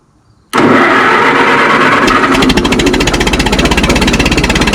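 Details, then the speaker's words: Minneapolis Moline Z tractor after rewiring, fuel just flowing into carburetor, on choke, exhaust can removed: catches at once, settles into uneven, lumpy beat about three pulses a second; running rough, not right yet, cause unknown. "There we go. It works from here. All right. Doesn't sound quite right yet, but uh I'm going to get get this stuff bolted down."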